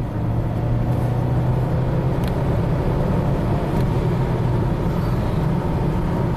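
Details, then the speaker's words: 2007 Acura RDX, 2.3L turbo four-cylinder, 210k miles, code P2263, after a repair that removed a turbo rattle, on a 0-60 test drive. Steady engine drone pulling hard under acceleration with no rattle: the turbo spools up nicely and boosts normally. "that's very good performance watch the turbo gauge i want to spool up real quick spools up very nicely yeah this thing wants to keep going and going and going geez"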